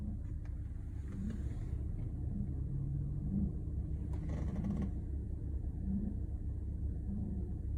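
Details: Audi B8.5 S4: low, quiet idle rumble that stumbles and wavers instead of holding an even beat; rough idle.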